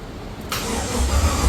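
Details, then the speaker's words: HQ Monaro during rebuild, cranking after the starter micro switch was adjusted: the starter spins the engine at a steady, even rate but it never fires; spark is uncertain. "I don't know it didn't fire up I'm not sure if we got spark or haven't got spark or what but um one bonus it's turning over"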